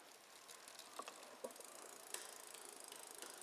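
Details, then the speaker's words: Bicycle rear derailleur, Shimano XT, after adjustment, shifting down through the gears without load: light, even freewheel ticking with clean single clicks on each shift and no grinding or chatter; normal smooth shifting. "so you can see this is pretty smooth now"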